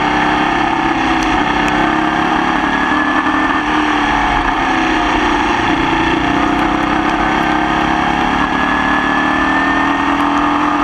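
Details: Formula Vee racing flat-four at Croft in the wet, under power: loud engine with a rough, stumbling edge through the revs, a persistent misfire throughout the race; cause not identified.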